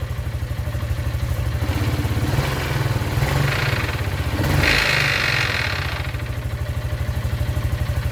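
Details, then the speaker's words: 2004 Boom Trike Fun 500, Piaggio engine, Comex reverse gearbox/differential: engine revs with rough clatter and brief harsh grind as lever is fully in reverse but won't engage; two internal engagement gears worn from repeated grinding attempts. "So that means basically the part that engages in the diff box has won, because people have constantly been trying to get it into reverse with that grinding noise, so it's obviously worn it away."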